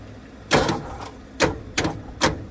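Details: 1969 Ford F100 with 360, sat for decades, cranking after new battery cables and ground wires: slow, uneven chugs about two per second, never catches; no spark and battery weakening, owner suspects ignition module, unconfirmed.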